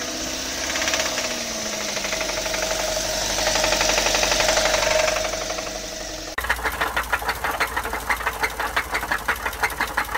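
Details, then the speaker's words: Running petrol engine with sharp metallic clinking at about three a second: detonation knock from incomplete combustion, often mistaken for valve noise. "صدای ناک که معمولاً به اشتباه صدای سوپاپ هم گفته میشه"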